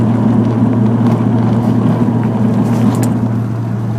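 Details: Nissan 300ZX, engine running at constant speed: steady low buzz with a drone just above it; something is buzzing, source unclear.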